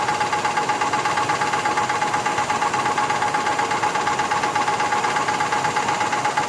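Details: 1985 Cadillac Fleetwood Brougham engine with a regular knock about three beats per second over a quiet idle; cause unknown.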